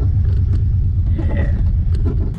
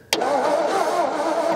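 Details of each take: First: 1950s Ford with a flathead V8, unregistered since 1981, first drive after an ignition fix: deep, even low rumble under way with no knocks, ticks or misses. Good temperature and oil pressure. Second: 1950s shoebox Ford flathead V8, unregistered since 1981: the starter cranks at an even rhythm but the engine never fires; there was no spark because the ignition switch was not in the Run position.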